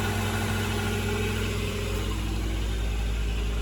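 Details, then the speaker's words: Acura Integra idling just after a temporary exhaust patch made with parts-store pipes and clamps: steady, even low idle with no puffing, ticking or exhaust leaks underneath. It will be warmed up to check whether the clamps need tightening. "sounds quiet underneath we'll let it warm up for a little bit see if it needs tightening"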